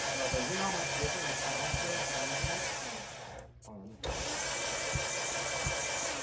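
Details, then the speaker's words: Modified Mazda Miata engine: steady starter cranking with soft even beats and no firing, spinning too freely; next to no compression, suspected cracked ring land or melted piston. "You want to hear how much compression it had? No. None. Next to nothing."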